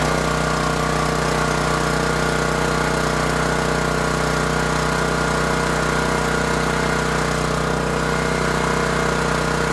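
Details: New Champion 7500 watt dual-fuel generator on first run after setup, heard from about 10 feet: steady, even, moderately loud drone at constant speed with no knocks, surging or rattles; normal running.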